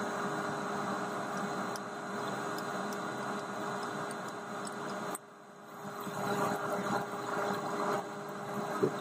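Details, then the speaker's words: Drilling about 2 1/4 to 3 1/4 inches deep on a bushing roughing cut: a steady machining hum turns into a rougher, louder roar as chips pack the drill flutes and rub against the sides of the hole. "Can you hear it? Okay, that's chips rubbing against the sides of the hole. They're getting squished up in the flutes."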